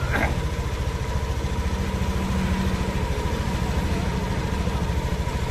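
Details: Honda Beat ESP scooter after CVT service for a rattling noise in the CVT area: steady even low idle thrum, rattle now gone, no clatter from the belt drive.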